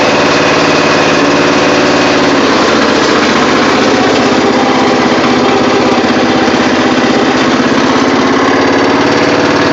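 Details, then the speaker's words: Murray riding mower after an engine rebuild, started at 50°F: steady, strong single-cylinder putter at about two beats a second with no misses, running healthy, though the engine smokes a little. "but the engine runs really good after the rebuild and uh she does smoke a little but she's got power for days so that's all I care about"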